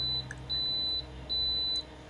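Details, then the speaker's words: AEG Electrolux Lavatherm 59800 condenser dryer, not heating, in test mode: three long high-pitched beeps over a low hum signal the E32 error, because the rear blower fan was not working. "And you can see I'm just going through the various tests. What I didn't notice was that the blower fan at the back wasn't working,"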